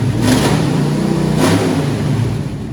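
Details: Old four-barrel-carbureted long-stored V8 running: deep steady rumble swelling with each throttle blip into the four-barrel, settling cleanly, firing on all cylinders; running strong.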